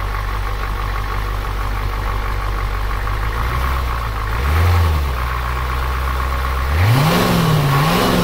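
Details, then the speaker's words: 1988 Ford F250 7.3L IDI Navistar diesel after timing adjustment: steady even low clatter at idle with a couple of brief revs; smooth and settled, slightly quieter and more powerful than before, healthy. "all right guys so this is how it sounds after I've tuned it at idle it sounds pretty"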